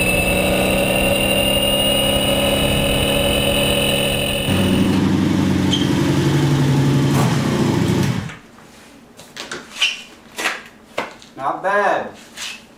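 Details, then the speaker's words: Sabre cafe motorcycle with new exhaust, carb mixture adjusted after running too lean and hot: strong even drone drops to lower steady note then cuts out; no miss or knock, resonance around 5,000 and maybe 9,000 rpm. "bad so not too bad uh runs pretty well it's got a resonance about 5,000 RPMs maybe one about 9"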